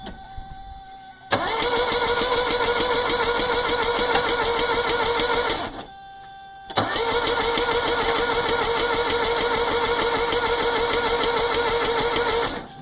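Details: 1982 Mercedes 240D diesel, crank no start: two long cranking bursts at about three turns a second, even chug, never fires. Battery strong, glow plugs heat, injectors spray; not fuel related, seems to lack compression. Owner suspects valve adjustment or jumped timing.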